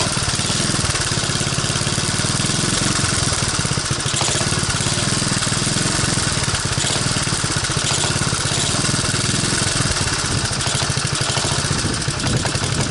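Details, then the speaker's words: 1985 Honda ATC125M single-cylinder, previously seized, revived with a hacked PZ27 carb on a rotated intake manifold and portable 12VDC CDI, on a cold start: steady putter with a crisp, even exhaust beat and no knocking or misfires; normal running. "doesn't sound too bad so it looks like it starts and it'll even run"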